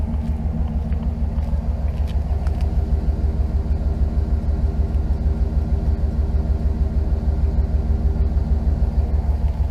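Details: Dodge Ram V8 pickup after exhaust manifold leak fix (gasket, studs replaced with bolts): deep, even idle rumble with no ticking or puffing from the exhaust.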